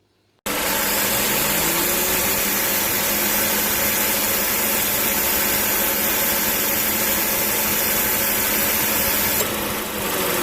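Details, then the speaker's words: Mazda 2 Skyactiv R 2016, 110,000 km, about 4 years old, idling with AC on: loud, heavy rushing drone and steady hum from a noisy AC compressor, normal until the magnetic clutch engages; suspected low oil, advised replacement. "tapi suaranya itu jadi sangat berisik jadi suaranya itu seperti ini"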